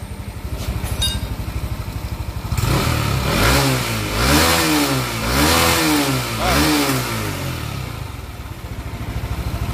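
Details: Yamaha NMAX scooter after knocking repair (piston, connecting rod replaced; sanded fix): idles evenly, revs up and down three times, settles back with no knocking.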